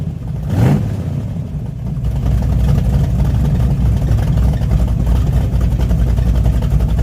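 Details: Craftsman LT2000-style hot rod race mower, V-twin: lumpy uneven beat at idle and light throttle, pulses dropping out irregularly; cylinder miss suspected, not confirmed; engine misfire.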